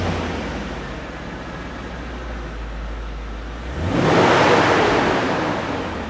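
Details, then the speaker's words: W210 Mercedes-Benz E55 AMG with an otherwise very quiet engine: a low steady hum, then a rushing roar of the clutch (viscous) fan that swells and fades as the revs climb; normal for this car, which lacks an electric fan. "oh you can hear that clutch fan that's pretty much all you hear they really need an electric fan that's for sure"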